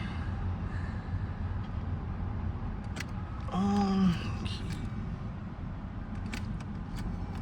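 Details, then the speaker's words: 1991 Fox Body Mustang LX, auction car, after adding 3 gallons of gas, key turned to prime in neutral: a short, steady half-second buzz of the electric fuel pump priming normally, heard over road background. "Oh yeah, I hear the pump. Which is amazing because normally I can't hear shit with these trucks and traffic."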